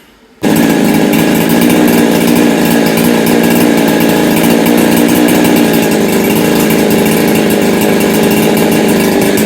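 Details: Husqvarna 365 Special chainsaw after a muffler mod and a weld repair to its cracked exhaust: loud, steady high-revving two-stroke buzz holding even for nearly ten seconds with no stumbling or surging; runs cleanly.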